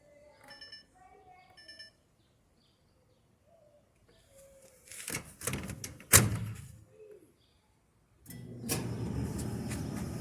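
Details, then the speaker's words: Kenmore Elite gas dryer making an ugly noise when loaded with clothes; on start it gives a rough scraping rumble and sharp creak from the rear of the drum, suspected worn drum support rollers. "se oyen los sonidos el sonido es muy muy feo vamos a identificarlo"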